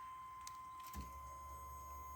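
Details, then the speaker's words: 1991 Camaro project car, key on after installing a battery: low steady hum of the fuel pump priming normally. "Fuel pump works. I heard it."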